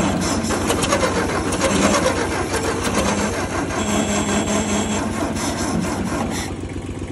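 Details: 1956 Ford 800 tractor from auction, new clutch and carburetor, sat outside about a year: uneven, labouring cranking with scattered pops as it tries to fire but never settles into a run; won't start yet, cause unclear.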